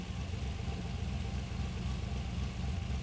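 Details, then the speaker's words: LS V8 with ACES Jackpot 2 drive-by-wire EFI on a new ECU, just switched to closed loop after a basic wizard tune: an even low burble at a steady idle with regular firing and no misses, giving a good idle. "Some basic tuning gets us good idle, gets us real close."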